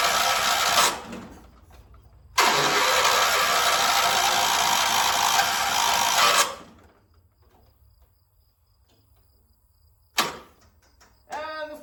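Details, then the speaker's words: 1976 John Deere 300 mower: two long rough cranking bursts with no catch, then silence; the engine never fires because the battery is dead. "Dead battery. Great. That's all it is. My battery's dead."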